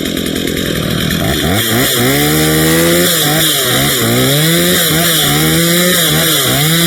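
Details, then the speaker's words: Stihl MS 230 chainsaw with aftermarket parts, after a tune-up, cleaning and sharpening, cutting wood: crisp, high buzz revving freely, dipping briefly under each cut and recovering at once; normal running and cutting. "Really can't complain about that. Pretty good."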